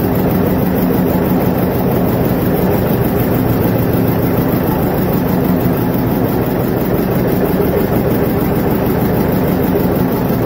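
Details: Vintage John Deere 720 diesel tractor after head gasket repair: dense, heavy low rumble holding steady with no misses, knocks or sudden changes; running properly.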